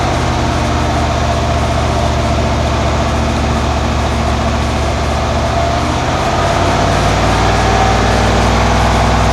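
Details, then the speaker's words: 1991 Cadillac Brougham V8, revving off idle after cat-back exhaust replacement with new resonator and Walker Quiet-Flow SS muffler to cure a 59 mph drone: smooth, even rumble with no throbbing beat; exhaust healthy. "that sounded better from within the car didn't hear those annoying beats"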